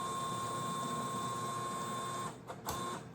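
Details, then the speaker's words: Brand-new Creality CFS filament changer, unit not recognized: steady small-motor whir with a faint high tone stopping and restarting in short bursts as it cycles endlessly, lights flashing between two colors; cause unknown. "We can keep going this video for forever. I was doing this forever. Won't completely stop."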